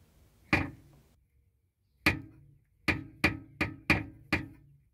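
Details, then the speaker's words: Nissan Primera P12, rear noise after a 400-mile trip; muffler shaken by hand: seven sharp, unevenly spaced metallic knocks. The rubber exhaust hanger has come off its body mounting point, so the muffler arm hits the body. "it's connected to the arm on the muffler and that's fine however the other end is supposed to be connected to this mounting point here and it isn't that's why the muffler is moving around and making a noise"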